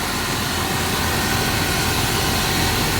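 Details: 1987 Dodge Power Ram 50 4x4, Mitsubishi 2.6L with factory Mikuni carburetor, 100,000 miles, new timing and cam chain, cold start stepping down through high idle to 800 rpm warm: steady, smooth low rumble, no knocks or ticks; normal idle.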